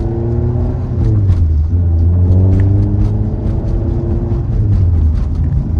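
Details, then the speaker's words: 1988 Honda CRX Si with swapped B18C Type R engine and transmission, driving after reinstalling the transmission: smooth pull with steady gear whine rising and falling with road speed, no clicks or knocks; transmission working normally, slight shifter bushing rattle. "But the transmission is working and sounding really nice."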